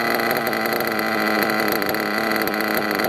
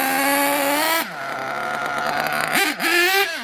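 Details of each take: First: RC monster truck nitro engine during carb tuning, fuel line pinched about five seconds: high buzzy idle rises right away and holds steady and smooth, showing crankcase not overloaded with fuel; normal idle rise on fuel line pinch test. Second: RC nitro engine being tuned: after a throttle burst it runs on and hangs at a raised, buzzy idle instead of settling low; idle gap too wide, bottom end too rich, possibly high speed slightly lean.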